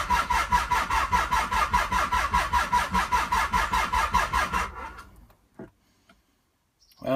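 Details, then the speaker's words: 1995 Nissan 300ZX, long unused after a crash, cranked through three sets of jumper cables: strong, even cranking pulses, about five a second, for several seconds, then stops without firing. Enough current now, but no spark or ignition, with a gasoline smell. "obviously now we're getting enough juice to the engine but still no spark or at least no ignition smells a little bit like gasoline"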